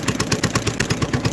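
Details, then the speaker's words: Newly bought used engine with a governor, started on choke only: crisp, even firing about eight pulses a second, steady beat, no misses or knocks, barely smoking; normal healthy running. "moving right along yeah that's that's sounds really good it can't have any hours on really it didn't hardly smoke at all"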